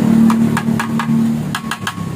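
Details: Honda Vario with original, unmodified exhaust: a steady engine hum with a hollow tapping rattle in bursts as revs rise, a vibration felt while riding; a loose baffle rattling inside the muffler.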